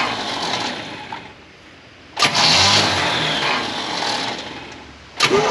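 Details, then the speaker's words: 1968 Pontiac Firebird parked 30+ years, condenser added on the coil's negative side: starter churns in two short bursts, engine turning but never catching. Spark suspected too weak to jump the gap; bad coil or starter dragging voltage down suspected. "I just don't think we've got enough spark it won't jump that Gap that's not enough spark either the Coal's bad I don't it could be that the starter is just pulling the power down too low for that big fancy coal"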